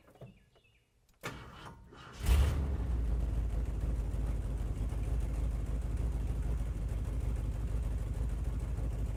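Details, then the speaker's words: Ford F100 bumpside, 390 FE V8, started with a screw plugging the vacuum hole: short crank stumbles and pauses, then settles into a steady low rumble; owner suspects timing set a little high. "there was a hesitation when it started that means we got a little bit of a timing issue"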